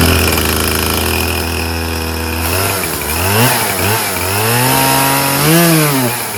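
Crisp two-stroke scream that revs up cleanly, then pitch sags and recovers as it bites into wood; chainsaw running and cutting properly.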